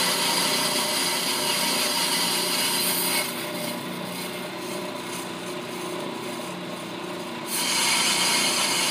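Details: Ammco brake lathe, speed set to four for demonstration, cutting a brake drum: steady raspy scraping over the lathe hum for a few seconds, then drops away; normal bit contact on the drum.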